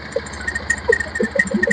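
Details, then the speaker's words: Bajaj Pulsar BS6 after top-end work with new rings and piston, idling: irregular sharp metallic taps from the top end, which the head teardown shows is a valve touching the piston; valve-to-piston contact. "अब इसका head खोलते दिखाते problem है इसका जो ल है ल पिस्टन में टच हो रहा है"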